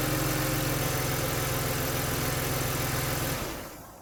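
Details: Mercedes C-Class W202 with M112 V6 idling after spark plug and air filter change; smooth, even idle with steady low pulse and no misfire stumble before shutdown, all six cylinders firing.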